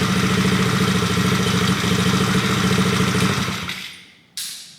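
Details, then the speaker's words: Coolster 110cc dirt bike after swapping in a new PZ20 carburetor, idle being adjusted, possibly a little low: quick even single-cylinder putter holding a steady idle before shutting off; runs clean, normal idle. "That's what I think a good idle is. Might be a little too low. RPM's climbing a little bit."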